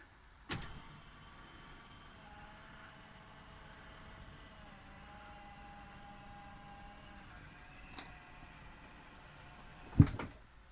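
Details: Powered bed in a caravan/motorhome being raised back up by its motor: a soft, steady electric hum that runs evenly for several seconds, then a clunk as the bed tops out; smooth, healthy lift.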